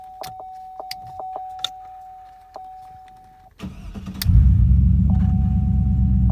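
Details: 2006 Chevrolet Trailblazer SS after replacing faulty ignition switch with new GM part (had stalled, no-crank no-start): chime with key on, brief crank, quick catch, even steady idle; normal start and idle.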